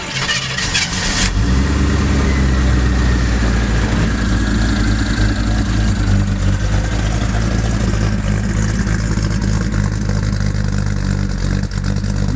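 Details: Restored 1978 Chevy K5 Blazer with a 350 crate engine, Holley Sniper fuel injection and a small cam: brief starter crank, then the V8 fires into a deep, mellow, even idle, slightly rough at cold start before settling.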